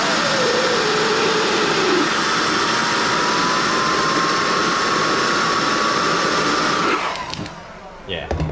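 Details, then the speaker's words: DAW Flow Max+ turbo, larger than the Vargas Stage 2, spun on the bench by an 18V leaf blower with the wastegate vacuum set at -10. A loud airy rush with a thin, smoothly climbing whistle; turbo spooling freely with no rubbing. "can hear the turf spooling up it's pretty wild which is weird because these are a much bigger turbo than those vargas turbos and they shouldn't spool as easy"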